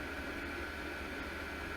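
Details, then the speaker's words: Cheap 12V diesel heater running about 5–10 minutes in an uninsulated shop, about 35°F; steady, even fan rush with a low hum; fuel pump clicking not audible at this fan speed; running normally. "and right now with this fan speed you really can't hear the clicking but when you slow the fan speed down you can"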